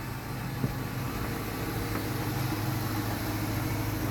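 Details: 2015 Dodge Charger after fuel pump replacement for hard starting, fuel pressure holding above 60 PSI; steady even engine hum with no knocks or stumbles; normal idle.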